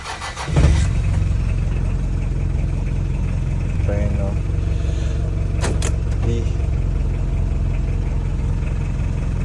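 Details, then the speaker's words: Mitsubishi Pajero 4D56 diesel after replacing left and right engine supports; cranks and catches in under a second, smooth even idle with no knocks, thumps or rattles; earlier noise gone when driving; normal start and idle. "So far so good. Wala nang ingay niya pag nakadrive. Grabe. Okay na siya."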